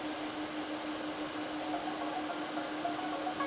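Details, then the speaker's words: LED96 Wi-Fi projector, microphone right up close: quiet steady low hum with faint whirr, no ticking or rubbing; normal cooling fan, not very loud. "Ну вот прям вот вплотную стоит к проектору поэтому прям вот гудение вам максимально слышно не сильно оно на самом деле"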